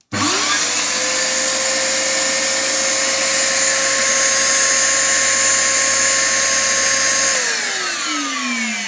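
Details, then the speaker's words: Genesis vacuum cleaner rebuilt from two units, running the motor that came with it; spins up to a clean, steady high whine for about seven seconds then winds down smoothly; strong suction, motor healthy. "look how it [Laughter] suck that is now very good news"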